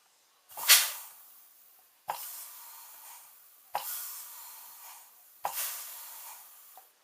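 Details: A518/46RE automatic transmission, valve body off, air test of the rear band during a governor-pressure diagnosis: four sharp hissing air bursts, each with a soft thump as the band clamps, then bleeding off; rear band applies properly.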